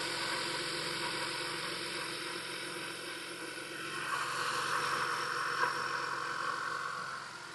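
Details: 2015 Honda CR-V 4-cylinder (4th gen) at idle right after installing a new Gates K070565 serpentine belt: even, steady hum that lifts slightly then settles, no squeal or chirp; belt drive running normally.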